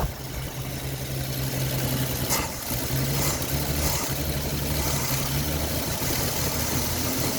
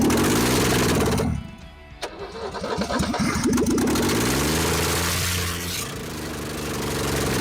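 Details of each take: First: Ford XP Falcon six, first run after 35 years sitting, carburetor bowl primed by hand with fuel not yet hooked up: steady, even low idle with smooth drone, no knocks or misses, until it runs out of fuel; normal idle. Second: Ford XP Falcon, first run after 35 years, no exhaust manifold, timing adjusted while cranking: catches with a sharp pop and uneven stumbling, then lumpy idle, hot and blowing out carbon; backfire from ignition timing still off.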